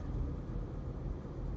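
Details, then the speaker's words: 1991 Mercedes-Benz R129 500SL, after the idle control valve was cleaned and its hoses replaced: low, soft, steady rumble with no misses or knocks, settled at a slow idle of about 600 rpm; healthy. "been cleaning out that valve really good taking the hoses off you really help it look at that it's like 600"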